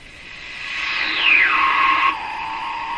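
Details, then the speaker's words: Sparton Model 5049 radio, remaining wax capacitors replaced, not yet aligned, tuned off station: piercing whistle slides from high to mid pitch then holds over hiss; still squawking and squealing worse than ever, oscillation cause unknown. "still squawking and squealing worse than ever if anything"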